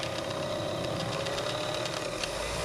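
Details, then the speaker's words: Revere 85 movie projector after oiling: busy, even mechanical whir and chatter whose pitch sags when the clutch drive is engaged, motor slowing under load; may just need running in. "seems to slow down when I kick it in gear that's not a good"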